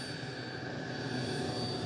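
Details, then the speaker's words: E-flite Habu STS 70mm electric ducted-fan jet taking off on a nearly depleted battery: steady high-pitched full-throttle scream, constant pitch and level; fan sounds healthy and strong, though controls feel soft. "Okay, taking off. Feels a little soft on the sticks. You can hear it still screaming away just fine."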